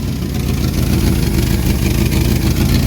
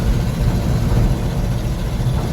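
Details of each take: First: 1974 Ford Bumpside 1-ton, FE 360 with rebuilt Motorcraft 2-barrel: low V8 idle swelling and sagging (hunting); suspected vacuum leak or fuel pump not keeping up; timing later found wrong; slight exhaust leak too. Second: 1974 Ford bumpside 1-ton dump truck, FE 360 with a rebuilt Motorcraft 2-barrel and idle and timing reset, climbing a big hill in third at about 2000 rpm and 3/4 throttle: deep, even V8 rumble, no misses, all eight firing.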